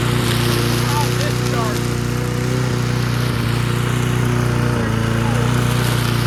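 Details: Junkyard Bob-Cat push mower single-cylinder engine, primed and restarted after spark check: holds a steady, even beat at full throttle with no misses or hunting; runs normally.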